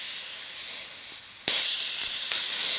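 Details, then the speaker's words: Workshop air compressor tank drain during service: hiss slows then suddenly jumps louder and surges again, uneven flow; owner suspects ice particles blocking the drain that melt and let it shoot through. "So I reckon that's ice particles in there, because it's not just all coming straight out like it normally does."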